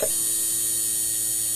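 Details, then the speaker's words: 2012 Hyundai Tucson automatic that cranks but won't start; fuel pump assembly removed and bench-powered. A steady hum with a gritty, uneven edge ("magaralgal") where it should be smooth, and the intake underneath looks worn (suspected, not confirmed): rough fuel pump whine. "Magaralgal na. Dapat pino lang yan."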